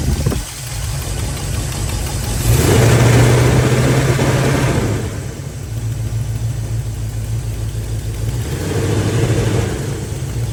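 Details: Chevy 350 V8 idles with a loud, rapid puffing tick that rises sharply during two short revs; a bad exhaust leak.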